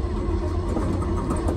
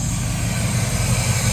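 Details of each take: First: 1969 Chevy K10 350 V8 with 4-speed, sitting for decades, with a new coil and points fitted: the starter grinds it over steadily, pauses, then cranks again without firing; the points dwell is out of adjustment and needed a quick adjust. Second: 1969 Chevy K10 350 V8, 4-speed, after sitting for decades, running off a temporary fuel tank: steady even low burble with no misses, knocks or ticks; healthy smooth idle.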